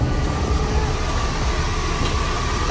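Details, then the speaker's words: 1989 Chevy Caprice Classic, engine running, AC being added: steady engine hum with faint tone, then a sharp click as the AC compressor clutch kicks on; compressor clutch engaging normally. "Man, that's an AC compressor, man. I don't know. Let me show y'all. Let me show you. You hear it kick on?"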